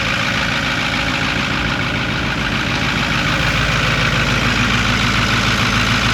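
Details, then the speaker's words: Cheap Ford 6.4 Powerstroke diesel pickup, first start after new batteries: steady, even diesel clatter at idle with no knocks or misses; normal idle, engine sounds healthy. "I think this is a good motor. Yeah? That's not, oh hell yeah, dude."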